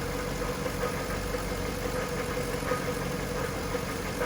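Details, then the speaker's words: 1998 Jaguar XK8 at idle: low grinding rumble like a metal pipe dragged on the floor, not from the top end or chain; goes away with revs, worse with AC or steering turned; belt tensioner pulley suspected. Idle grinding rumble. "it's a low grinding rumbling it almost sounds like a a vibration of some like it sounds like a metal pipe being dragged on the floor"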